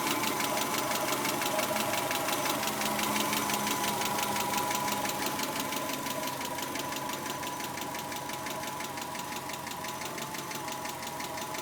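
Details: 1991 Subaru Legacy SS ticking at idle, light quick ticks about three per second, seeming to come from the driver side; owner suspects hydraulic lash adjusters (lifters) but is unsure.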